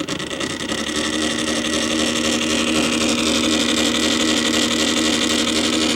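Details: Columbia Graphophone AH phonograph after motor service that removed fossilized powdered grease that made the springs clang, running without a record: smooth constant whirr with a faint singing tone and no clanging; the spring motor runs clean.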